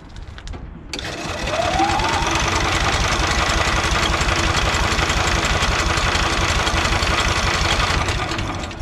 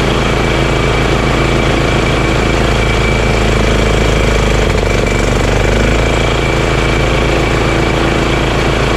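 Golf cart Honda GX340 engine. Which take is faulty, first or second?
first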